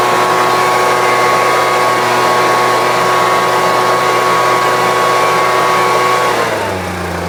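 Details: Homelite UT08572 string trimmer, tested outside after repairs: steady, even buzz at constant pitch without surging, then easing down smoothly. Owner will check whether an earlier "tink" noise is gone. Normal running.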